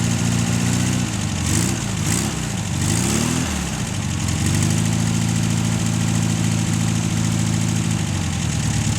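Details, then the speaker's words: Air-cooled VW 1600 engine, unrun for a long time after 10 years exposed to salt spray with no air filter, on its first start on a temporary fuel tank. Cranks briefly, catches and settles into a steady, even idle, blowing rust out the exhaust; sounds healthy. "Gotta love them. Showering me with rust and shit out the exhaust."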